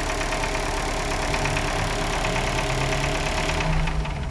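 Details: Chevrolet Corsa/Celta petrol engine idling with a steady, rapid knocking inside the block, diagnosed as piston pin or piston skirt play, not camshaft; pistons need replacing.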